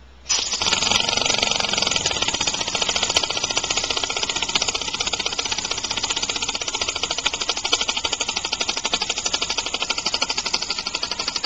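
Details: Homemade compressed-air engine (aluminum valve shaft/crankshaft in a steel bore, already sloppier after about 15 minutes' running), started just past top dead center: rapid, uneven air chuffing about three per second; rough from early valve timing and an unbalanced flywheel.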